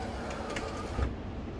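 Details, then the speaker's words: Audi Q7 (4L) passenger-side window regulator failing: faint motor whir with rough grinding and crunching knocks as the glass is lowered, before regulator replacement. "okay I can hear that grinding and crunching in there I need to bring it down a bit further"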